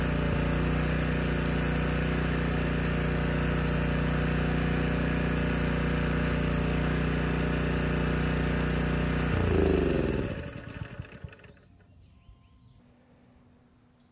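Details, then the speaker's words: Honda EG1400x generator running a 750 W load fine without its air filter; once the oil-soaked filter is refitted, the steady drone sags, stumbles and stalls within seconds because the clogged filter chokes airflow. "it did just fine until i popped this filter back on the engine went to stall almost immediately"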